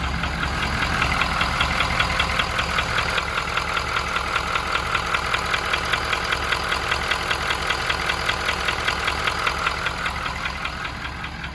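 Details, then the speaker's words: 2019 Ford F550 6.7 Powerstroke diesel idling, heard outside, with steady sharp knock under two beats a second over the clatter; cylinder 5 contribution/balance code, No. 5 injector adding more fuel. "I don't know if you can hear that. But yeah, just trust me, it's knocking."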